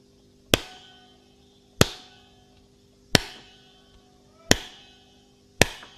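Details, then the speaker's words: Extech 380193 LCR meter with its rubber holster removed is tapped five times; each tap rings into a bright metallic twang. A loose internal metal shielding spring or shielding is suspected, not confirmed. "I noticed a weird uh uh sound inside there like a twanging sound it goes twang anytime you hit it"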